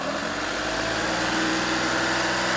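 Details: VW Polo after repair of two faulty injectors; even, steady idle with smooth clatter and no misses, knocks or hunting; normal idle.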